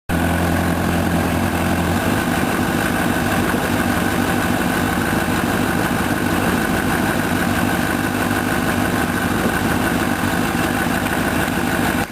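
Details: 2006 Honda CBR1000RR with about 8,500-mile engine, warm at 80°C or above, standing still with the clutch eased to the bite point; a dry tapping that follows engine speed, cause unknown; knock at clutch engagement.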